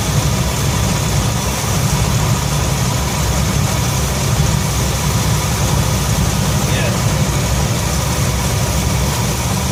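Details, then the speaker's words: 1966 Ford F100 V8 after Pertronix electronic ignition upgrade: steady, high, sharp idle without misses; timing light shows about 10 degrees too advanced, target 10 degrees BTDC. "so we just fired it up you could tell the timing was a little fast i believe that's what we got here"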